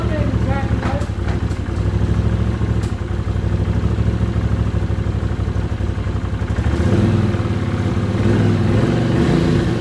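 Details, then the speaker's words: 1979 Honda CX500 Custom that hasn't run in 2 years, newly rebuilt carbs, tried with and without choke: the twin runs rough and uneven with occasional sharp exhaust pops. Backfiring, cause unknown; owner may richen the mix screws. "I'm not sure what the backfiring is all about. I never used to do that. So, we'll just have to wait and see how it clears up."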